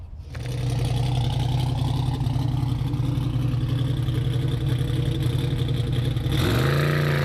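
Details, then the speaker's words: 365 cubic inch LS with twin 7275 turbos, Powerglide, on methanol at the track; deep V8 roars at steady high revs then stumbles and drops off around six seconds; one bank lean from a wrong wideband O2 reading. "I think that sensor's probably wrong because I changed it on the burnout tune too."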